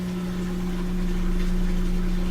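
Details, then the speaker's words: Samsung washer that would not drain, after drain pump replacement (old pump full of sand), on a spin cycle: steady low hum with a clean, even tone and no rattle or grinding as water drains fast; drain pump running smoothly. "So it sounds good, and when I peer in there I can see the water leaving the machine pretty fast."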